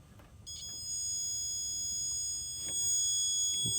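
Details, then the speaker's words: Converted 12 V fire truck charging system, alternator reinstalled after cleaning connections, multimeter continuity test: a steady high-pitched beep that holds without dropping; the alternator is properly grounded with a complete circuit. "now confirming what i should have done before but it is grounded which means we have a complete circuit"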